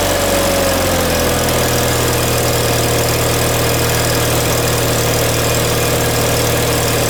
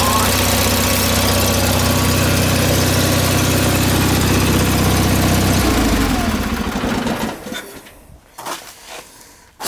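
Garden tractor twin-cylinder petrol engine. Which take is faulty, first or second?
first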